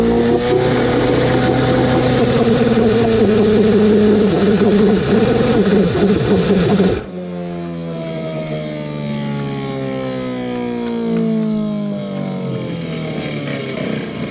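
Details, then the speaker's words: Rebuilt Nissan Tohatsu 9.8 hp two-stroke outboard with new piston rings, first run after reassembly: screams at a high wavering pitch for seven seconds, uncontrollably over-revving to the rev limit, then cuts and winds down; cause not confirmed. "That doesn't sound good. So we put the motor all back together, took it outside to run it, got it started, but it revved up super high. It went up to the rev limit uncontrollably."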